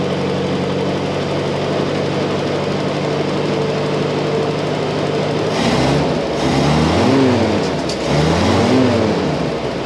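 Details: Jeep M151 four-cylinder engine with about three-quarter choke after draining contaminated fuel and adding a fuel filter: steady, even idle with throttle blips that rise and settle cleanly; idle much improved.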